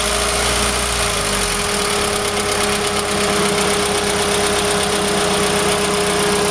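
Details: VW Golf GTI 1.8 engine at idle: uneven tick roughly eighty a minute over a steady hum; abnormal noise, source not clear.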